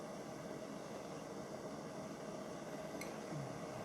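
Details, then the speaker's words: A 1950s Burmos pressure stove, a Primus copy, just lit after pumping, with the valve closed tightly for full output: a soft, steady hiss-roar with no sputtering or popping. Normal burner roar. "Oh, and we're okay. You can hear it hissing. And I've got the valve closed tightly, and that will give us the full go, and there we're off."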